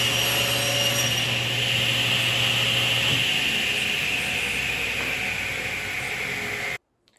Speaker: so the noise levels varied a little bit but the peak really was about 3 DB difference between 80 and 83